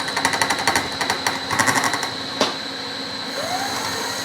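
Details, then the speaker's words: Cutting a keyway slot in unexpectedly hard material with the end mill. Rapid rattling bursts, about four a second, with a ringing squeal as the cutter bites, then quieter steady cutting; end mill chatter. Cause suspected, not confirmed. "does not like that one bit but we'll keep going"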